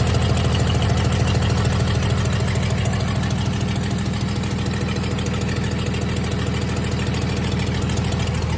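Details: 1996 Dodge 2500 diesel idling cold, still burning off oil after turbo failure: clatter with steady ticking about three per second, slightly uneven beat; shakes and idles rough cold, smoother once warm.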